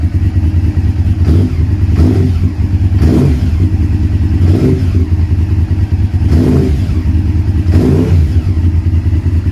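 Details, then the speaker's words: Honda VTR V-twin motorcycle with 41,000 miles, newly bought; deep, lumpy idle with several crisp throttle blips rising and falling cleanly, no rattles or misfires; normal start-up and revving. "It's got 41,000 miles on the clock, which, okay, considering the age, it's not a lot, but it runs nice. So let me start it up then, see if it starts."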